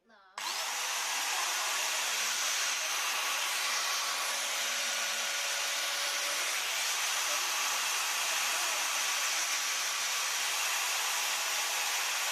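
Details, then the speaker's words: Maktec MT971 4-inch 850 W angle grinder, being repaired for a shorted armature with a blown commutator, holds a steady high-pitched whir with no rattle or grinding from the gear head; electrics normal, running healthy. "โอเคโอเคครับไฟโอเคปกติดีทุกอย่างนะครับ"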